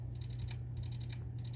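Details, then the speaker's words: Dropped PS4 Slim stuck on blue light, not booting, "cannot access system storage": sharp dry clicks in bursts of about six at roughly ten per second, pausing and repeating; hard drive heads failing to read, drive replaced. "trying to boot up and it's not booting up and it's making this noise into the disc"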